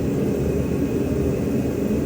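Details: 2014 Nissan Pathfinder 3.5 L V6 at idle: low, steady rumble with a slightly uneven beat from a misfire on cylinder 2.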